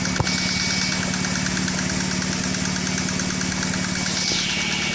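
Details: BMW E46 N42/N46 after repair of oil-fouled plugs, burnt coils and a loose timing chain: steady idle with even light metallic tapping, about two ticks per second; valvetrain tap suspected, Valvetronic adaptation probably needed.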